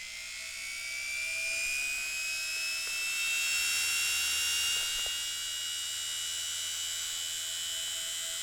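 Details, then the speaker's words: Appliance motor run on the bench: high, steady whine with brush hiss, spinning fast and evenly with good torque and no commutator sparks. Normal high-speed running. "No sparks on the commutator. It's working pretty well. The torque, quite a bit. So it seems to spin quite fast."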